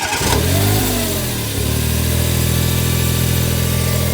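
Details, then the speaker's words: 24-year-old Smart ForTwo 450 idling with the alternator belt removed: fires, flares briefly, then settles to a steady idle with no whine. This points to the alternator, water pump or a pulley as the whine source. "So we've got the alternator belt off. We've struck it up, and that noise has gone."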